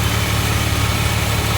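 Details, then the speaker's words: Jeep WJ with an aftermarket VDO electric cooling fan fitted months earlier; fan runs with a loud droning hum and heavy whoosh; its plug and wires burned, engine reached 270 degrees, fan not cooling properly. "um the thing makes a ton of noise as you can hear and just learn from my mistakes"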